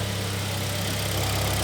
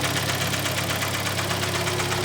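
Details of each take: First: Hyundai ix35 G4KD petrol engine after rebuild for heavy knock hot and cold (scored cylinders): steady smooth idle heard from outside, no knocking or tapping, oil burning off exhaust manifold. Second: Hyundai ix35, G4KD petrol engine, 2011, 120,000 km, knocking hot and cold: loud fast even metallic knock about nine beats a second at idle, intermittently ringing; engine to be torn down, scored cylinders/piston slap suspected.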